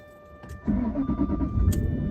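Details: 2007 Jaguar XJ8 Vanden Plas, 99,000 miles, starting after 72 hours of battery charging following faults; short crank, catches at once and settles into a steady, even idle. A clean, healthy cold start.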